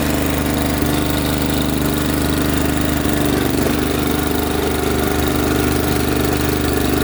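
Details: Honda 828 snowblower with intermittent drive, running on a test drive with the fluid level fine: a light irregular clicking about three or four a second. The drive works briefly, then stops; slipping somewhere in the gearing is suspected.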